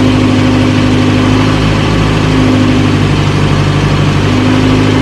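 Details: 1937 Morris 8, 918cc pre-war engine, first run during recommissioning, no cooling water in: steady, even low idle, constant drone, no knocks or misses; about 75 psi oil pressure, slight smoke clearing.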